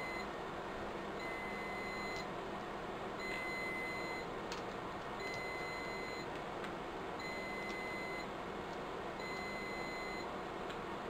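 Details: Riello DVD 2200 2U UPS whose batteries are being replaced: short high-pitched beep about every two seconds over faint room hum, beeping for about two weeks, battery fault alarm for worn-out batteries.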